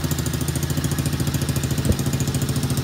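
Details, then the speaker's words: Kids ATV small single-cylinder engine after carburetor cleaning, idling evenly and steadily with no misses or surging; runs well. "guys, as you can see, it's running pretty good. Idle sounds good."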